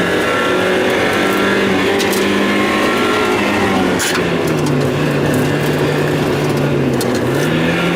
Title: miata stumble and misfire